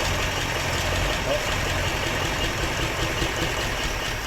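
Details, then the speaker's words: 1958 Chevrolet Bel Air unused since 1993, running on its untouched carburetor with added gas, still cold: a smooth, even V8 idle with a soft rumble and no knocks, ticks or smoke. Normal idle. "and it's running out of gas there's no knocks no ticks no smoke"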